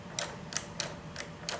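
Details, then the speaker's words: O.S. FS-40 Surpass model four-stroke engine, hand-turned after a run: sharp uneven clicks about three a second from bad bearings, rougher and tighter after running. "and just hear that there's bad bearings i mean there's just something about the way this flips over and sounds and feels"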